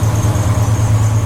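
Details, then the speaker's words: Jeep Wrangler 4.2L inline-six with new Motorcraft 2150 carburettor and timing adjusted, cold start after two pumps: smooth slightly high cold idle, no lope, smoke or raw fuel, some belt squeal; normal. "But listen to that. There's no low-B idle. There's no, no excessive smoke. It used to smoke a lot. It doesn't smell anymore. It's not dumping raw fuel like it used to. So it is idling a little bit high because it's cold."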